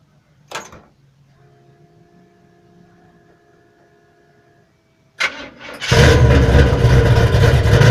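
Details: 1979 Chevrolet Malibu with 700R4 transmission, first start after replacing a damaged flexplate from a loose starter support: quiet, then a clean starter whir under a second, engine catches and settles to a strong even idle, no grinding.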